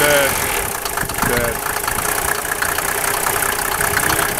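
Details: Mercedes 300SDL 603 diesel at idle: faint regular tapping knock over usual clatter toward top end; owner suspects valve cover area, possibly collapsed tappets, not confirmed.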